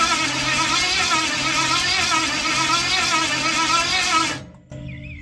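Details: Ford 460 big-block, formerly rust-seized, pulled from an RV, carbureted: steady starter whir with rhythmic cranking pulses that never catches; spark present earlier but none now; owner considers rechecking timing.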